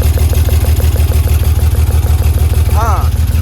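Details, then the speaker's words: BMW E36 whose ECUs kept frying, idling lumpy at about 190 beats per minute with a rhythmic stumble; cylinder 5 misfiring, rear injectors found unplugged, fuel smell and smoke; misfire from a faulty injector wiring harness. "I checked through all the coil packs just to find the misfiring cylinder, and cylinder number 5 is having a firing issue."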